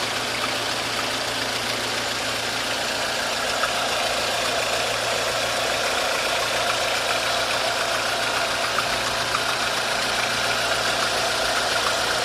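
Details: 1.4 16V engine (Tunisia) idling evenly with a faint repetitive tapping about three to four per second; timing chain and tensioner checked and belt removed, noise unchanged, source of the knock still unclear.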